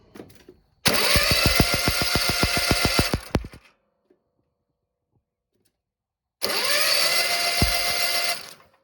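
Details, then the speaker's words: Cub Cadet ZTS2 zero-turn engine with a new ignition coil, spark plugs out and no kill wire, cranked by hand in two bursts. Crisp snapping pops show a strong, hot spark. "If you noticed, that was a hot spark. That actually looked like a little lightning bolt. And I don't know if you could catch it in the phone or not, but I could hear it popping."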